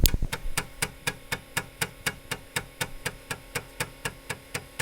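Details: Rebuilt Atari 810 floppy drive, restored from shattered pieces, formatting disk 2. Crisp even ticks about four per second as the head steps track to track over a soft motor hum; normal formatting.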